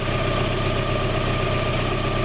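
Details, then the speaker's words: 1991 Mazda Miata at idle just after a new catalytic converter was installed, before warm-up, checked for leaks. Steady, even idle with a smooth low drone and no ticking, puffing or hiss; no leaks at the flanges. "So now to start it up and check it for leaks. Alright, I got it running now, in case you can't hear it. And there's no leaks around any of the flanges right now, so that's good."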